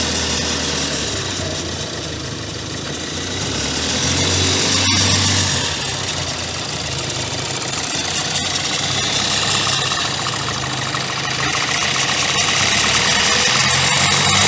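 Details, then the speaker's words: 2016 Kia Sportage 1.7 CRDI diesel, properly warmed up, idling with hood open and phone close: fast steady metallic rattle about four per second over the clatter; timing chain suspected; accessory belt and pulley already replaced; noise worsening over time. "just make sure you warm up the engine properly before because that's when probably you experiencing this type of noise from the engine"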